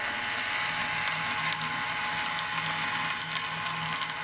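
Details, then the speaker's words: Lab pump cavitation rig at high pump speed and flow: constant gravelly crackle like pebbles rattling through the pipe over a steady pump whine; the pump is cavitating, which stops when motor speed is reduced. "now you see the cavitation gap"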